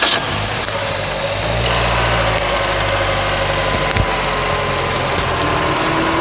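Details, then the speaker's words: 2004 Toyota Corolla VVT-i gasoline engine, first start after head gasket replacement, engine removal and overhaul, timing set: smooth steady idle picking up cleanly when revved, no knocks or ticks; normal idle and revving, healthy. "não é mainha é muita melodia calma e com troca da junta do cabeçote e revisão do motor"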